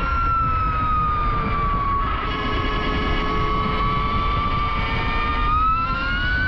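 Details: Electric motorcycle with a fixed straight-cut gear reduction: a high, steady whine dips and climbs again with road speed over the near-silent motor, which makes the gear noise evident. Normal reduction gear whine.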